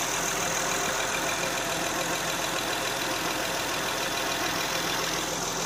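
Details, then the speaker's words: 2008 Honda Odyssey EX-L 3.5 L J35 replacement engine (112K miles), with new timing belt, water pump, tensioner, thermostat, plugs and VCM disable kit, first fired up: steady, even idle with no misfire or knocking. Normal idle. "she's running."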